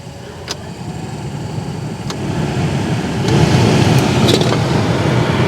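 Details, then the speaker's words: 2004–2006 Toyota Tundra after replacing a burned-up blower motor and melted connector with a new motor and harness: steady even rush of air building slightly, no squeal or ticking; normal blower operation with good airflow. "There It Is Well it feels great lots of good air flow"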